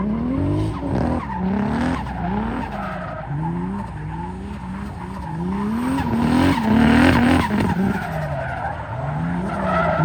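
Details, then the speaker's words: 2JZ-swapped BMW E36 drift car at Santa Pod under load: revs stutter and bog in rough surges amid tyre squeal; bad misfire, log shows AFR jumping, running rich; owner suspects it needs retuning. "As you can hear, it's still running pretty bad. I looked at the log and it looks like the AFR is jumping all over the place and stuff."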